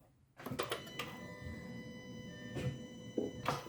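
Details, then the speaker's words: Audi A4 B6/B7 wiper motor assembly, wipers barely moving and getting stuck: steady electric hum with a few clicks but the motor never turns; something is jamming the linkage mechanism, cause not yet confirmed. "as you can see it wants to start moving you hear it wanting to start moving and absolutely nothing happens so something is jamming up"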